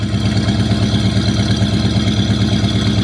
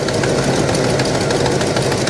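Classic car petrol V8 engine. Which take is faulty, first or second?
second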